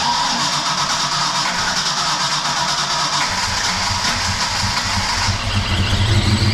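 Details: Project car V8 first started after 11 years: cranking, then it catches and runs loud and lumpy with an uneven stumbling beat; rough running, cause unknown.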